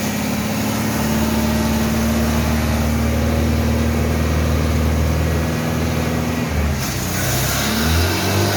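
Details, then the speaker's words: 1974 Citroën DS21 revived after six idle years, with the air cleaner off. It runs on throttle with an uneven low drone, then sags and stumbles as revs drop, and won't hold an idle; it dies once the pedal is released. Idle adjustment pending. "now we just need to work our way onto the idling and have it idle when you leave the throttle pedal it dies immediately"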